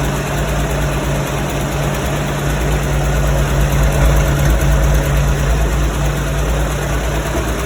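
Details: 1967 Porsche 912 with 1976 912E Type 4 2.0-litre flat-four, after tightening the exhaust where soapy water showed bubbling: deep, steady idle with even low thrum, no puffing or popping; exhaust leak fixed, running healthy.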